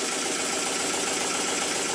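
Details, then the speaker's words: Circa-1896 model steam engine, rebuilt, reassembled and oiled, slide-valve timing set partly by guesswork, on a compressed-air test: steady airy hiss with quick, even exhaust beats, no knock or bang; runs normally, though the weak crankshaft wobbles around the crank pin. "As you can hear by my laugh, I really didn't think it was going to work. and it took me completely by surprise. And it works very well indeed. It doesn't knock. It doesn't bang, but the crankshaft is still very weak and it's wobbling about around the area of the crank pin."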